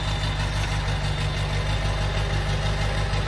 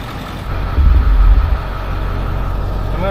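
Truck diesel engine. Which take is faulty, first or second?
second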